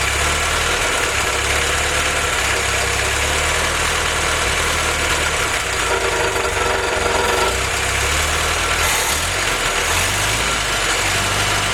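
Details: Willys F-head (snow blower jeep engine), first run on newly installed Weber carb replacing troublesome Carter YF, 180 thermostat: steady even idle with smooth low thrum, no knocks or misses; normal idle.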